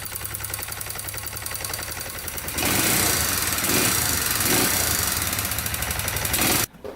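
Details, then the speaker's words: 2001 Kawasaki Bayou 220 ATV: rapid metallic rattle, about three knocks a second, over a rough single-cylinder run before revs rise; something striking inside; owner thinks an oil change may help; engine knocking. "that's the rattle noise right here feel it hitting that"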